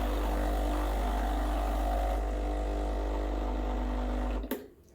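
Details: Breville BES870 espresso machine, freshly descaled and back-flushed, running a dry shot. Steady low pump hum with an even buzz for four seconds, then a clean cut-off; normal pump operation.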